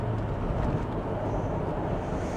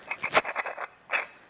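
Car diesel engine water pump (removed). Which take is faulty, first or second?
second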